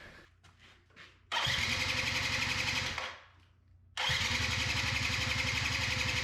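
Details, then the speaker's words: 2005 Yamaha Zuma YW50 two-stroke scooter first start after long storage: catches, stumbles and dies, then refires into an uneven, popping, smoky idle; battery at 12.8 V and charging. "glad it's idling batter is at 12.8 so it's charging too it's just that's a rough idle it's alive"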